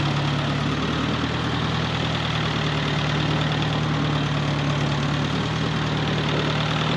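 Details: 1948 Farmall Cub tractor, long stored over winter, idling to warm up for an oil change: deep, steady idle with an even low beat and no misses or knocks; warming smoothly and healthy.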